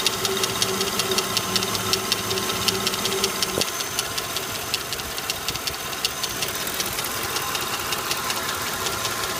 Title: Lincoln town car Rattling\ticking noise. Is the lifter valve making this noise?